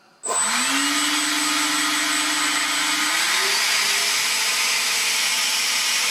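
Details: Loud rushing spin-up into a steady tone that steps higher with throttle; SU-27 ducted fan flat out on a so-called 100C pack, about 76 mph airflow each side, choked with grass causing lack of thrust after failed maiden.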